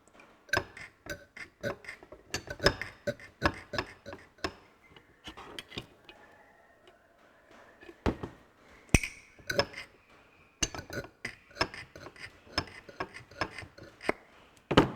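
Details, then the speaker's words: Ferguson TE20 hydraulic pump being assembled with old pistons, turned by hand drawing oil: sharp irregular clicks as valves snap open and shut; normal, healthy. "you can hear that you can hear that valve opening let's see if we can draw a bit of oil through all day"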